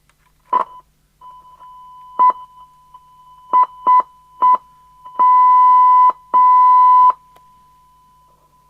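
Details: Scrap Fidelity CB1000 UK CB27/81 mobile CB radio fed by a signal generator during recap repair; a steady mid-pitched test tone cuts in and out in uneven bursts, then holds longer, traced to a ropey socket on the back.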